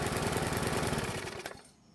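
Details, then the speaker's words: Bolens mower with a Briggs engine, started on suspected old, stale fuel with a used plug replacing an oil-fouled one: slow, lumpy pulsing that stumbles before dying. The owner suspects the carburetor. "The other problem is that the engine is running really slow and a bit off. So there might be something wrong with the carb, but we won't know that until we get some fresh fuel into the tank for another test start."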